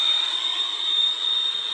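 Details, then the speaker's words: Steady piercing whistle of about 5,000 cycles from a small portable radio picking up interference radiated by a nearby computer monitor; it stops once the monitor is turned off. "Well, listen to this. You may not be able to hear that. I don't know. It sounds like about 5,000 cycles. It's coming from this."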